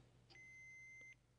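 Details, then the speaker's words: Continuity meter on the power switch of a 2002 Zenith TBBR1352Z TV/VCR combo with smashed-in buttons: a clean high beep about three-quarters of a second, repeating on each press; good repeatable deflection, power switch is good. "well we do get a good deflection there and that's repeatable okay so the power switch is good"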